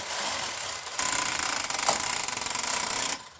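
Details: Brother KH910 knitting machine, carriage pushed across hard in needle selector test: harsh, rapid rattling clatter for about two seconds as the carriage runs, needles jumping.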